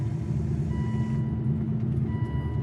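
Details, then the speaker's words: Aston Martin DB9 after V12 engine swap, first drive with the hood latch not yet installed: low engine rumble with a steady tone beeping about every 1.5 s, the hood-open warning. "let's get rid of that dinging so you guys listen to that oh I think that's the hood open Alarm I don't have the hood left installed yet that's sort of annoying"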